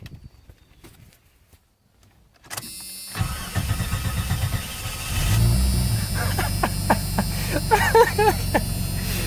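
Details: 1989 Jeep Cherokee 4.0L I6 (Renix, AW4) after an upgrade to a new DieHard Platinum AGM battery, restarted after running about a minute at 12.83 V. Quiet, then a brisk short crank and immediate catch into even idle; healthy battery and starter.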